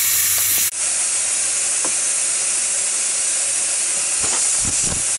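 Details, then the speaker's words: 2002 Ford F250 7.3 Powerstroke with a low-boost complaint, tested with a homemade boost leak tester regulated to 20 psi, engine off. A loud, steady hiss of escaping air reveals a large boost leak, with some at a coupler and the main one suspected at a flimsy plastic boost gauge fitting. "Well, that definitely sounds like a leak. Man, that sounds like a huge leak."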